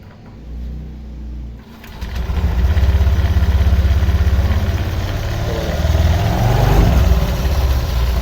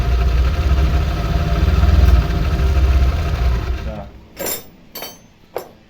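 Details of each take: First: Honda Vario 125 LED scooter, tested before teardown, idling and revving: coarse, uneven rattle from belt drive; rough CVT noise caused by stiff roller housing cover that won't flex to follow rollers up and down. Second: Honda Vario 125 LED scooter in for rough CVT noise, run during teardown: smooth, even engine hum for about four seconds before shutoff, no rattle or harsh grinding from the CVT.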